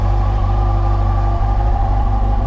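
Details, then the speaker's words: 2007 Yamaha FJR with replacement engine fitted after original broke a valve in cylinder two, battery 12.4 V, charging 13.2 V: even low steady idle without ticks, knocks or hunting; runs well, normal idle. "But I want to show you the bike before I take off. Run real good."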